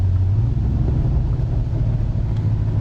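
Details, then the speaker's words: Ford Crown Victoria V8 pulled out of the weeds, running with no exhaust system fitted: deep, loud, raw unmuffled rumble; loud exhaust, no exhaust system fitted. "put an exhaust on it before I drive it anywhere, you know, really drive it anywhere, because I like it, but I don't think the neighbors would if I drove it around all the time."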